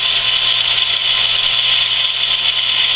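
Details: Camp water pump after winter sitting, just primed with hose fully filled; steady high-pitched motor hum, no rattle or surging while pressure builds toward 50, cut-out expected 40–50; normal running.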